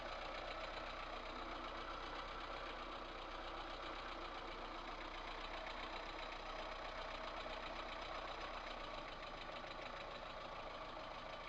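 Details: VAZ 2108 1.3 L engine at steady idle, fast light top-end tapping about four per second; valve knock caused by worn valve guides with large play, one valve burnt, apparently by exhaust gas blow-by.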